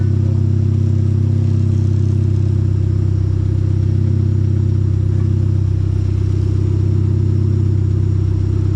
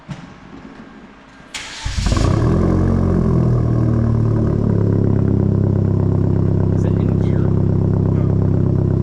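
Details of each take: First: Hyundai Genesis Coupe at idle and rising revs, deep steady exhaust rumble with a quick puffing pulse; exhaust leak at the top flange gasket, which visibly moves and can be felt by hand; plan to loosen bolts and bring the flange down. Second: Hyundai Genesis coupe after new exhaust fitted, cold start: starter cranks, catches within a second, settles into steady, deep, even fast idle without misses; cold exhaust may rattle slightly until warm; normal.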